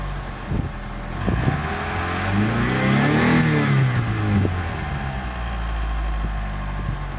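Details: Mitsubishi 4G63 engine without alternator and power steering, idling high at 1300 rpm: revs up and back down with a rough, rapid clatter rising with pitch, loudest 2000–3000 rpm; caused by a bad timing belt tensioner.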